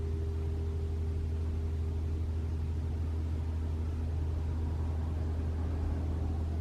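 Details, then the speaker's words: 2021 RAV4 Prime SE in EV mode, cabin heat on Auto with AC off at about 47 degrees: a low, steady, even heat pump compressor hum with no honking noise, which is normal. "no it's fine I can hear it humming it won't make the noise anymore guys what the heck"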